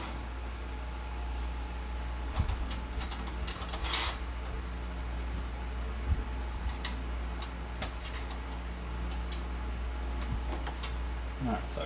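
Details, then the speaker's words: Xbox One S console with 500 GB hard drive at power-on: steady fan hum with sharp irregular clicks every second or two, suspected from the hard drive. "all right now I want to plug it in again and try to turn it on and see if I can hear that clicking noise coming from the hard drive"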